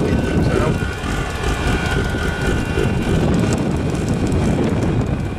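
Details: Diesel heater after oven-cleaner cleaning, run outdoors on a windy day: loud uneven rushing roar with no steady note, ragged flame, running no better than before and burning mostly outside; cause unconfirmed. Rough roaring combustion.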